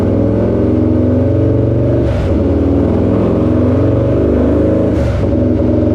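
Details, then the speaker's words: Harley-Davidson Lowrider S, Milwaukee-Eight 131ci Stage IV kit, stock compression, Cycle-Rama 512 cam replacing Screamin' Eagle 517: full-throttle dyno pull, loud steady V-twin roar at high revs, brief dips between pulls, strong and even; made about 147hp and 149ft-lb, healthy. "But anyway, let's get this thing on the dyno, ramped up, and see what we can squeeze out of it."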